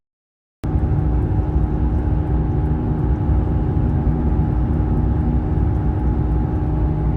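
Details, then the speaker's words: 2007 Honda Civic driving: steady low growl and humming drone over road noise, grinding that speeds up with vehicle speed and fades when steering shifts one way; worn front wheel bearing, to be replaced. "signs of a bad wheel bearing normally presents itself with a grinding noise the grinding sound will speed up the faster the vehicle goes listen to hear the grinding of the wheel bearing on this Honda Civic"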